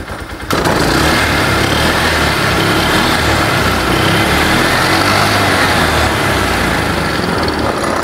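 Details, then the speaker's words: Polaris 500 side-by-side that had water in the airbox and exhaust, idled a few minutes to reach operating temperature; steady, even idle with a smooth putter and no knocks or misses; normal idle. "let the engine actually get to operating temperature so after sat here for a few minutes and run it's running"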